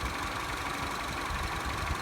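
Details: Citroen C4 that would not start from a tripped circuit breaker above the battery, running after the breaker was reset: low, even idle with a soft steady hum, no knocks or misses, normal.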